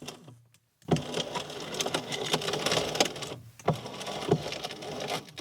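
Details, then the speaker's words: Audi B5 S4, 2.7T twin turbo V6, no working windows: the passenger front and left rear windows' motors whir in strained bursts with crunching clicks as the glass stalls and jerks; worn window regulators. "This is actually not an uncommon issue with the Mark IV and B5 generation. That late 90s, early 2000s VW Audi cars, window regulators, insanely common."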